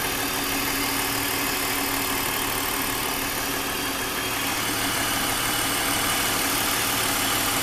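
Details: 2001 BMW 530i M Sport (E39) at idle: fast, fairly even light tick about three per second over a hissy background; recently developed abnormal engine noise, cause still being investigated before repair.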